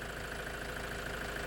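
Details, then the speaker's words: Toyota Hilux 3.0 diesel after repair of a loud engine knock and flooding, rail pressure now correct: even, steady diesel idle clatter with no knock or hunting; smooth normal idle. "Funcionamento redondinho. Resolvemos aí o problema dessa Hilux."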